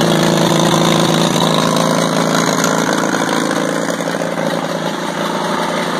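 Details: WWII Caterpillar RD4 bulldozer, first start in 20 years after retrieval from a canyon (runs but won't drive, clutches seized): old diesel runs at a steady idle with an even, low chugging beat, no knocks, rattles or misses.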